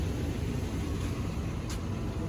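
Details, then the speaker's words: 2004 Dodge Ram 1500 SLT 4x4, bought for $800: deep, even V8 rumble at idle with no knocks or misses; steady, smooth and healthy, seems well cared for. "sounds pretty good man oh they took really good care of it"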